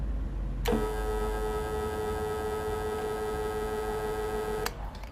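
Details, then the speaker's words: Electric fan at maximum speed 3 run from a 1.5 kW 12 V all-in-one solar inverter gives a loud, harsh steady buzz at fixed mid pitch when switched on, cutting off sharply; motor buzz from the modified sine wave output, unlike on mains power. "bunyi yang kita dengar semasa kita onkan kipas angin dengan menggunakan power daripada inverter ni."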